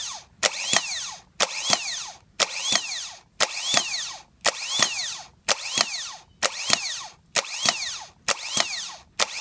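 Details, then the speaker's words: Bench test of the new replacement starter for a 2010 Toyota Sequoia that clunked but wouldn't crank (old starter's solenoid bad, not engaging): about ten bursts, each a clack and quick spin-up whine winding down; spins freely, works properly. "all right so we got our new starter we're just gonna test it"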